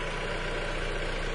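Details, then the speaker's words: 2010 Chrysler Sebring four-cylinder petrol, which once had a hard start and rough idle when cold and shows no check engine light, starts right up and idles smoothly with an even, low hum and no misses; normal idle. "all right you can hear it starts right up no problem engine seems very smooth"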